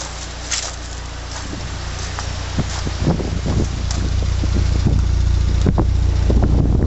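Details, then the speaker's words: 1980 Leyland Mini four-cylinder, started after about 3 months sitting, coolant topped up, water pump seeping: low, quiet, even warm idle hum under wind and handling clicks; normal warm idle. "okay that's no Troke now and this is when she's really quiet"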